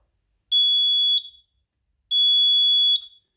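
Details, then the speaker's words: Renault Spider with an added indicator reminder buzzer, a trim-pot-adjusted speaker test: two shrill high beeps each under a second, about a second and a half apart; this tone judged unsuitable, a lower-tone option compared next. "so i think that one's a no uh and then this one here is a lower tone"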